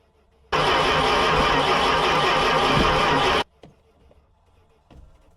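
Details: 1979 Dodge Ramcharger engine after 15+ years sitting, fed gas straight down the carburetor: about three seconds of steady cranking that never catches, then cuts off; cranks but will not start, plugs later found dirty.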